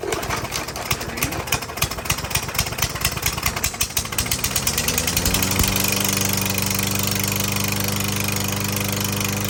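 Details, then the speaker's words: Troy-Bilt TB110 lawnmower, no-prime engine, just fitted with a new carburetor and spark plug and full of oil, started after about two pulls: idles with a steady clack-clack knock; suspected piston slap, unconfirmed. "good well I I know why they got rid of this it sounds like a slapp in the Piston the Piston slapping this thing's a piece of junk"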